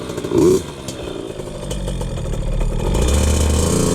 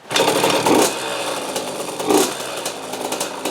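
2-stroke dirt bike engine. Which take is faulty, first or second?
second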